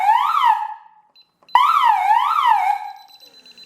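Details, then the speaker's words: DSC alarm panel after pressing keys 1 and 3 together: wailing siren sweeping up and down about twice a second in bursts. This is the panel's pulsed fire-alarm signal. "sistem yangın alarmında kesik kesik çalmaya başladı"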